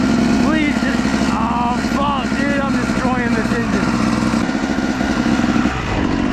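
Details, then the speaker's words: 250 dirt bike ridden slowly in the woods after a sudden abnormal noise: low-rev note labouring unevenly, pitch wandering and pulses ragged; rider suspects the engine blew up, later seized, cause unconfirmed. "oh oh something don't feel right going to have to to it slow I think we blew her up"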